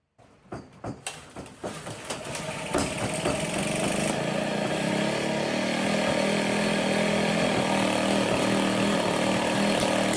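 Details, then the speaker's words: Motobecane moped two-stroke, flooded in the cylinder and exhaust because the carburetor float needle wasn't stopping fuel, run with the exhaust removed to clear fuel: slow sputtering pulses build into a loud, raw, unmuffled buzz running steadily. "is one, however, seemed like the needle wasn't stopping and the gas was flowing in, and actually ended up flooding in the cylinder and exhaust."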